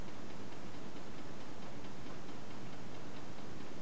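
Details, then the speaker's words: Homemade Stirling engine running on methylated spirits once warmed, slow, with a slightly wobbly handmade wooden flywheel: a light, regular tick with each turn; runs smoothly otherwise, tick source unclear. "there's a slight noise to it slight ticking I don't know if you can hear"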